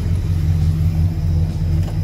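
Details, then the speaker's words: 1966 Buick Wildcat, 401 nailhead V8, idling after a fuel system problem was traced and fixed (tank venting confirmed, lines cleared): deep, steady, even rumble with no misses, knocks or ticks; normal healthy idle. "But that's how it goes sometimes. Yeah, man, she sounds good."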